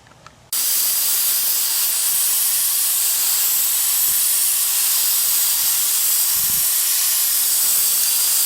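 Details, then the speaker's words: Ford 7.3 Powerstroke diesel no-start, engine off, with the high-pressure oil system air-tested through a homemade ICP tool. A steady, sharp hiss of escaping air starts suddenly and holds constant; the leak appears to be on the right side. High-pressure oil system air leak. "yeah it goes you can hear it that's my pressure leak"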